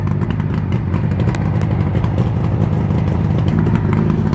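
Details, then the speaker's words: Suzuki GT750 three-cylinder two-stroke during carburetor balancing, left cylinder apparently firing more than the others, its screw turned under a quarter turn: busy, uneven, lumpy idle, one cylinder pulling harder; carbs still out of balance. "right it is still running a little bit so again screw it in just a little bit"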